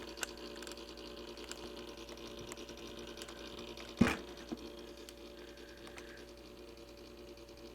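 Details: Simplex Time Recorder synchronized clock, repaired (school clock) and run dirty, still working: quiet light mechanical ticking with one clunk midway; movement running normally.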